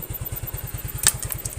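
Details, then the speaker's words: Yamaha Mio scooter carburetor after rebuild and setting, previously hesitating on first throttle with high fuel use and low power. Now even putter of about nine beats a second at idle, no skips; idling cleanly, normal. "Kayaknya sih ini benar-benar mantap guys. Perfect. Jadi udah kayak normalnya lagi ya."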